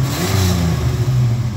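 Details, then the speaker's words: 1989 V6 Pajero after the cracked, warped stock exhaust manifold was replaced with stainless steel extractors: a deep, smooth rev rise and fall with no ticking or puffing; much quieter, and the exhaust is sealed. "Yeah, dude. It sounds way better. That is way better. Heaps quieter."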